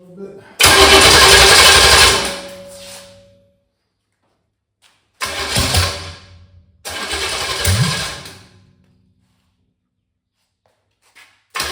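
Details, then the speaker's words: 1985 Chevy Camaro 400/406 small-block V8, first start in over 20 years after reseal and new balancer, high compression, stock starter: short ragged uneven bursts through open headers, catches a second or two then dies, won't idle; owner suspects timing needs adjusting, unconfirmed. "Still doing the same thing I was doing in the yard. Okay, I think we're I think we need to move a little bit more to it adjust better."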